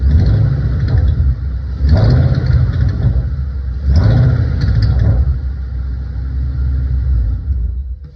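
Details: 2012 Shelby GT500 making a rattling/ticking noise when revved to about 1,200 rpm: low rumble rising in two short revs with a faint light rattle on top, cause unclear.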